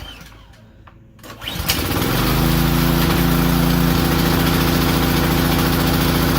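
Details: Powerstroke 2200 PSI pressure washer small engine, not hooked to water, on choke: catches and runs with slight rhythmic rise and fall; surges once warm and won't restart off choke, suspected lean carburetor.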